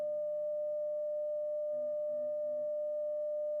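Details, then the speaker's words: Telefunken Gavotte 55 valve radio after recapping, steady test tone with low mains hum underneath that vanishes when the tube socket is disturbed; socket needs more cleaning. "there's the hum there it's gone so our tube socket needs a bit more cleaning"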